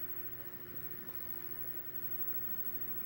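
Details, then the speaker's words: Repaired Xbox 360 that previously wouldn't open or read discs: drive spins up a Dead or Alive Xtreme 2 disc with a steady even whir, no clicking or grinding, reads normally and shows play game; loud console. "come on seems to be you hear that guys here if you hear that up it says play game pops up you hear that oh the loud xbox 360."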